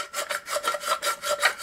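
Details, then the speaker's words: Old water pump from a Polaris XLT 600 two-stroke snowmobile engine in a mini Baja bug, turned by hand: rough, gritty crunchy rasp pulsing about four times a second, with slight shaft play; worn bearing, suspected cause of overheating. "sounds a bit crunchy. So, I want to take this thing apart and just see how bad it is. And see if this is maybe the reason why it was overheating."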